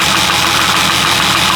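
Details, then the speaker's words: Jeep 4.0 inline-six idling during oil-viscosity tests: a steady, high-pitched rushing whir over a faint knock. The owner suspects the oil pump is cavitating, pulling a vacuum and making air pockets; not confirmed. "It's trying so hard to pull to get that oil to flow to actually capitate. Listen real carefully. Hear that noise? Not the knocking noise or not lifting there. It's cavitating trying to get oil to the oil"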